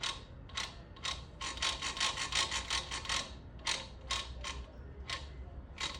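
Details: 110 cc motorcycle kickstart: rapid, uneven metallic clicking in runs of two or three a second as the lever is kicked; ratchet noise, fixed by turning the shaft slightly forward, holding it and reassembling.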